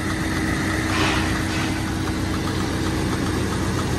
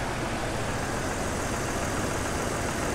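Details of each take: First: Jeep XJ project engine running for the first time, smoking heavily from the catalytic converters: loud uneven idle with a lumpy, stumbling beat; owner suspected a slight miss, later traced to an unseated coil pack and a dead injector. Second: Jeep XJ project, after first start-up scare feared as rod or spun bearing proved minor: even, steady idle hum with no misses or stumbles, purring smoothly.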